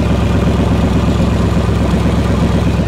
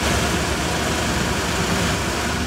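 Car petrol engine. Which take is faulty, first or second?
first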